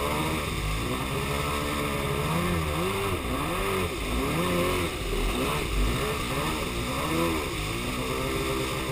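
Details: Yamaha Superjet two-stroke watercraft misfiring, uneven lumpy run with wandering pitch, likely one cylinder dropping out; began minutes after refuelling, persists with fresh gas, compression even; owner suspects plug wires or ignition.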